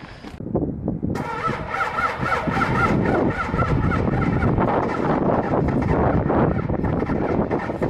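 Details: Cummins diesel truck with grid heaters unplugged, not plugged in, after sitting two days at minus 16 degrees: short crank, catches after about a second and settles into a loud, uneven clatter, a hard cold start.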